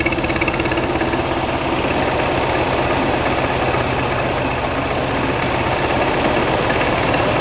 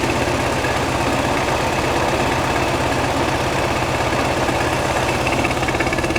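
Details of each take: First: 1969 VW Beetle 1600cc with dual 34 carbs and ratio rockers, freshly installed, after carb idle and mixture adjustment: a steady flat-four idle with a slight uneven lope, otherwise smooth; judged to sound good and acceptable. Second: 1969 VW Beetle 1600cc with dual 34 carbs and ratio rockers, freshly installed, after setting the idle and mixture screws: a steady but slightly lumpy flat-four idle with mild shake, still a touch rough; the engine's internals are unknown.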